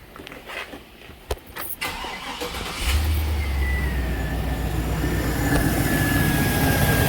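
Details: GM 6.0 V8 after knock sensor repair, codes cleared, and a replacement 3/8 PCV hose fitted at the PCV elbow: cranks briefly, catches cleanly and settles into a smooth, steady idle.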